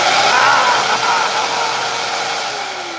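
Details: Bissell vacuum with a no-power fault, switched on after repair; the fault turned out to be the repairer's own mistake: steady high whirring, smooth and even, no rattle, easing down; motor runs normally.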